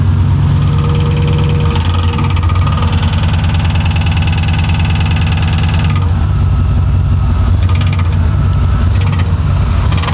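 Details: 1995 GMC Sierra extended cab 4x4 5.7 V8: deep rumble with steady rhythmic clicking while in reverse, sometimes also in first gear; cause unknown.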